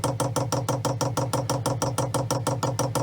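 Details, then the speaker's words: Chinese diesel heater being installed on a 40-year-old small sailboat, fuel line primed using the manual pump mode: crisp, evenly spaced ticks about three per second with nothing else running. Normal dosing-pump priming. "alright so the fuel line is primed and i think that's all i need to actually start this thing up"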